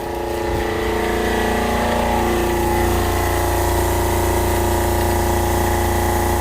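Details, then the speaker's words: Fischer Panda diesel generator on a Pursuit 355 OS, started cold after refitting components to fix the VCS misreading cylinder head temperature; steady, even diesel beat with low hum and water splashing, running smoothly while pumping water. "I'm going to let this run for quite a while here. Make sure this doesn't do anything weird anymore with the computer."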